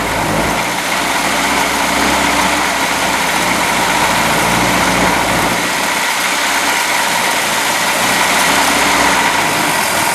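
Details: Boat engine just fitted with new manifold, run on water muffs about 10 minutes: idle hums with uneven, wavering beat and no steady rhythm; ignition timing off and carburettor needs rebuilding, oil still water-free.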